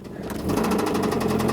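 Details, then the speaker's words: Mazda Miata engine: a fast, sharp metallic knock over the idle that is getting louder, first thought to be lifter tick; oil pressure drops low while driving though the oil level is fine; the engine was later replaced. "sorry getting louder and it's like knocking like this just listen to that it's pretty bad"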